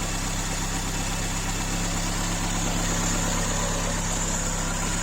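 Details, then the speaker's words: Ford Escort MK2 barn find revived after 27 years, warmed up, choke off, blow-by gone; steady, even idle with smooth low rumble, no knocks or misses; normal idle. "and got it outside and it is idling away sweet isn't it sounds absolutely perfect all the blow-by is gone here on the exhaust here it's powering away choke off me absolutely marvelous"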